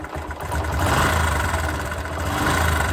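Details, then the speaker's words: Bajaj Discover motorcycle engine before rebuild, with hard morning cold starts, fluctuating RPM, white smoke and oil consumption: an uneven idle with a low rumble and loose rattly clatter from timing chain and crank noise. "and you can hear the engine sound it is having cranks sound timings and sound and this engine is consuming engine oil"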